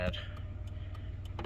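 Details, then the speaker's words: 1993 Dodge Grand Caravan LE idling, hazards on: crisp, evenly spaced relay clicks about three a second over low idle hum; normal hazard flasher operation. "hear that that's the relay you can hear him clicking"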